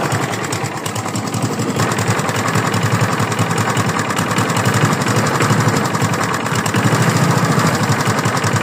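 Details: Free lawn mower, running engine with uneven knocking about three to four times a second; owner asks whether it is rod knock, cause unconfirmed.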